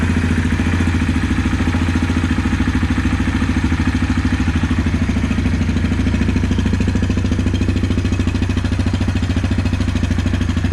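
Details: 2016 Yamaha Kodiak 700 ATV after re-torquing the oil pump drive sprocket nut, refilling coolant and oil and reassembling: steady, even idle with a smooth regular beat and no knocks, ticks or rattles; normal idle.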